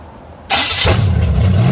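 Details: 1937 Dodge Brothers truck with a Holley 650 carb whose bowl is sealed with a modified gasket, no leaks: brief crank, then it fires cleanly and runs with a strong, steady, even beat and no stumble; normal start.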